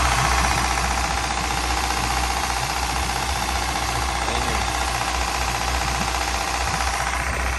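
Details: Engine at steady idle with a regular knock about three a second over the engine note, heard from one particular spot; cause unclear.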